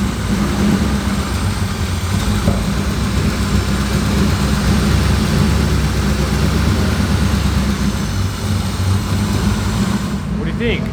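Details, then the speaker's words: 1965 Chevy Impala that sat 10+ years without running: engine starts much easier now and settles into a steady, even low rumble at idle with no misses, knocks or ticks; normal idle. "look it starts up way easier now check it"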